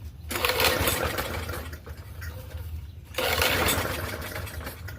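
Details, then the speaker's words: Free Murray push mower with 4.5hp Briggs & Stratton engine, pull-started: two rough sputtering bursts that catch and quickly die, slight backfire, rope not kicking back; engine fires briefly but won't keep running. "Sounds like it's got a little bit of a backfire, but the rope is not pulling out of my hand yet."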